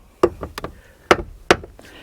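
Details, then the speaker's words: Buick driver's door, mic close by while the door is opened and closed: sharp pops and knocks each swing from a broken door check; greasing won't stop it, part replaced. "that is that piece right there see it that's called a door check it's broke right there no matter how much you grease it and lube it it's going to keep popping"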